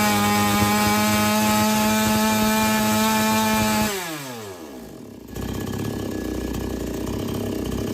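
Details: Chainsaw with H/L screws set fully tight then backed out three turns, previously not taking load: screams at a steady high pitch about four seconds at full throttle, then winds down evenly and stops, holding revs smoothly.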